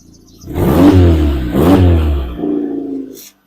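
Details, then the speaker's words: Turbocharged 1.6L Hyundai Getz on a budget build, revved during test-tune with the exhaust cutout valve opened to full 2.5-inch: two loud throaty revs rise and fall, then a lower hold with a whirring note; healthy engine, cutout open. "I'll give it a bit of a rev, but you can hear the cannon, and then I'm going to open the cannon and go full 2.5 inch and show you what it actually sounds like."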